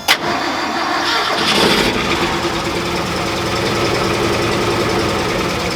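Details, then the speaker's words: 1971 crew cab truck, warm after a 40-minute drive, ran perfectly then suddenly began running badly; cranks and catches into an uneven, lumpy, stumbling idle as if one cylinder is dead; cause unknown, possible misfire. "So, as you can hear out of our uh on our idle circuit, it kind of sounds like it has a dead hole. I don't really know why."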